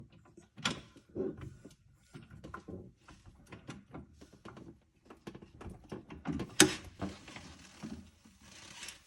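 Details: Car coilover clicking, reproduced with wheel off by jacking the axle up and down: irregular sharp clicks and creaks every few seconds from a dry coilover; lubricating it stopped the sound.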